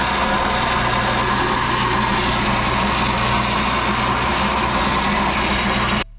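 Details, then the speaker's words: Infiniti G37S at startup; steady moaning drone with grinding noises when starting, owner suspects a worn power steering pump, which is being replaced. "I have an idea what I think it is it sounds like it's the power steering pump because I'm also hearing some grinding noises when I start the car"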